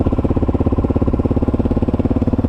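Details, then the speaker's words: Kawasaki KLR650 idling after the Eagle Mike doohickey (balancer chain tensioner) replacement and carb rebuild: even, smooth single-cylinder thump with no chain slap or clatter. Chain thrash noticeably reduced, much quieter even when started cold. "huge difference in the quietness of the motor now it's so much quieter now after the eagle mic doohickey change uh it took a lot of that just that chain thrash away that engine's just really quiet now"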